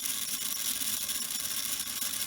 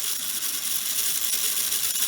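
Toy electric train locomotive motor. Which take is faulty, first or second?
second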